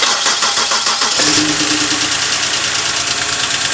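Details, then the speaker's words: BMW E90 328xi cold start after oil pan gasket replacement and oil refill, car long sat: cranks, catches, settles to even idle with light quick lifter tick expected to fade; normal. "Sounds normal, lifter tick. I can hear it already. Again, that lifter tick will go away after a while. That's just normal."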